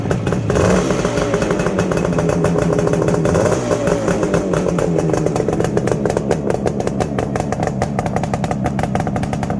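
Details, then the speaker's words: 1969 Suzuki T250 two-stroke twin, ground-up restoration, fitted with Higgspeed XP expansion chambers. Crisp, busy crackle revving freely and pulling evenly, no knocks or rattles: normal running. "now's the time to see if it'll go or see what it sounds like should i say with these xp chambers on"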